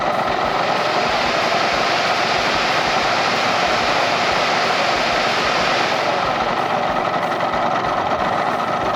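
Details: Restored 1998 Yamaha RZ50 two-stroke motorcycle with a manually switched electric fan from a 250cc model added because the stock radiator ran hot. A steady rushing fan sits over an even two-stroke idle with no knocks or misses: normal idle.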